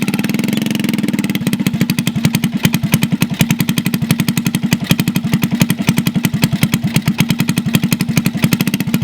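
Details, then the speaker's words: Honda CT70 garage find, long stored, first start on fresh fuel: quick even putting idle with dull, muffled popping note, sounds underwater; exhaust leak from rotted-through exhaust pipe. "all right well it is a runner so I'm excited about that it sounds like it's underwater with that pipe might just try and cut something today cut it off find another exhaust"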